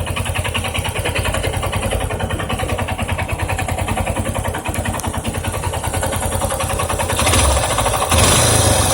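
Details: Yamaha Ténéré 250 single-cylinder idling with a steady fast ticking rattle over the beat, about three per second; owner unsure whether valves or cam chain, tensioner and bearings suspected.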